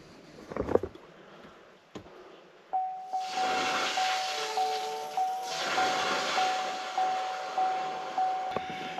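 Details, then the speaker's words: 2020 GMC 2500HD Duramax diesel after fuel filter replacement: lift pump priming at key-on, steady ticking about every half second with hissing as air purges from the fuel system. "you get in the truck don't hit the foot brake and just push the start stop but engine button and hold it for four or five seconds and the truck will come on i can hear the pump running i'm sure you guys probably can't but"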